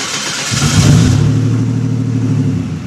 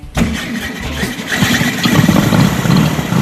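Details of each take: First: Typhoon started for the first time after a turbo install, before a test drive: the engine catches, blips up sharply, then settles into a smooth, even drone with crisp response; the turbo engine sounds healthy. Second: Freshly assembled hot rod engine with dual carburetors (carbs way out of sync) on first start: runs unevenly with a scraping grind from the cooling fan blades rubbing inside the shroud, fan to be adjusted.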